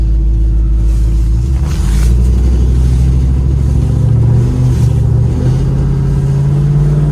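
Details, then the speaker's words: LSA-swapped Suburban test drive after replacing a failed torque converter that had welded itself. Deep, even engine drone pulling smoothly under load with no slipping flare, clunks or whine; normal driving. "Everything seems to be going good so far. Put some miles on it and we'll see how it does."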